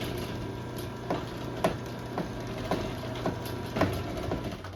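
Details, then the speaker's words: LiftMaster 8587WL chain garage door opener, made March 2018, about 16,000 cycles, on 7-ft sectional T-rail, large sprocket: steady motor hum with sharp uneven pops about twice a second; chain popping, cause unknown, lessened after tightening chain. "The chain is popping quite a bit. I'm not really sure why."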